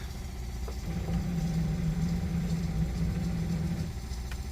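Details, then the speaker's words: Boat's port Yamaha outboard that won't start: low steady groaning hum about three seconds with no firing; starter dragging from excessive voltage drop, meter showing about 11.5 V, cables suspected. "nothing didn't sound good either that was a weird noise look at the voltage drop it's got way too much"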